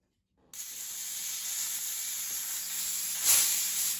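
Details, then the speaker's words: Hatsan Blitz air rifle filled from scuba tank, after leaking valve was cycled/rapped a few times: short sharp hiss that swells once then fades, no steady leak afterward; valve now sealing properly. "Yeah, that was it. So basically that valve needed to be rapped on a few times, I guess, to get it to stop from leaking."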